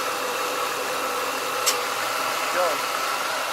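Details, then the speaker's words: 1996 Ford Mustang with a replacement AC compressor (old one had a bad pulley), clutch engaged via defrost: a steady, even whir over a quiet idle with no grinding or bearing squeal; normal compressor operation. "it's a good compression it sounds really good bearings in it running really well"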